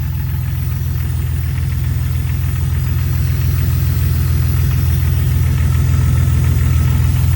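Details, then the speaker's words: 2000 Jeep Cherokee XJ 4.0L straight six just after replacing the ignition coil with an MSD coil: smooth, steady low idle with an even pulse and no stumble or misfire; it idles differently than before and sounds good. "All right. Well, she sounds good. It definitely idles different."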